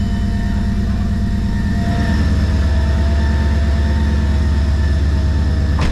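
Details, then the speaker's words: Mercedes CLK55 M113K supercharged V8 just fitted with a fixed upper pulley (80mm, with 180mm lower), idling before warm-up: a steady even idle with a faint marble-like rattle underneath. This is normal mild supercharger rattle for a fixed pulley. "what do you think good they make that noise like sometimes for those of you guys that don't know you get like almost a marbly noise sometimes on some of them with fixed pulley this one doesn't sound that bad"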